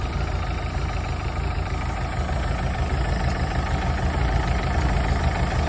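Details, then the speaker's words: 1983 Galaxy boat engine, idling rough and shaky with a light uneven ticking clatter over the low rumble, roughly three per second; owner plans to fix the clacky valves next, noisy valve train. "next thing to tackle is the clacky valves and then the water mounts"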